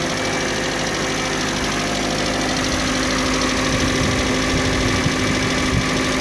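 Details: Kia Sportage 3 at idle: steady idle with a faint, irregular knock about three times a second over the engine hum. Engine knock at idle, source not pinned down.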